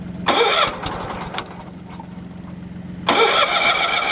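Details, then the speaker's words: Wood splitter engine after switch work, fuel pump audible, choke pulled, muffler refitted, air cleaner off: two cranking bursts catch into rough running with a faint hum between; normal start on choke. "This thing likes to be choked and immediately shut off."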